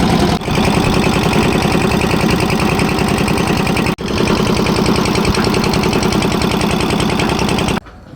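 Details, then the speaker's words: Kirloskar single-cylinder diesel engine on a concrete mixer, serviced with 3.5 L of Castrol CRB Plus 20W-40: steady chugging at about three to four beats a second, running normally, showing diesel is being supplied. "Engine ఈ శబ్దం చేస్తే, diesel సరఫరా అవుతోందని అర్థం."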